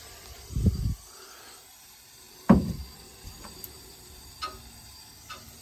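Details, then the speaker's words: End of a house's steam line at the front: a few heavy, low irregular thumps, steam hammering likely from trapped water; pipe suspected clogged, cause not confirmed. "c'est la fin de la conduite de vapeur à l'avant de la maison et vous pouvez entendre tous les de la vapeur sort de là, vous pouvez dire que c'est évident par toute cette merde noire qui était et maintenant nous avons un son de martèlement nous avons le son de martèlement"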